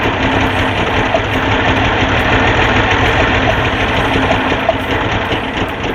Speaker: So, we got number one running. Yeah. Sounds good, too.